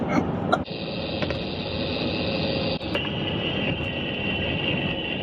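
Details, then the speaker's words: Van driven with wireless chassis-ear microphones clamped near the front wheel bearings: steady low metallic growl under road hum, worn front wheel bearing suspected, side being identified. "so when a Bar's bad it makes a growling noise and it's you can hear metallic so then it transmits into this box which is wireless and we're going to have a speaker inside the cabin"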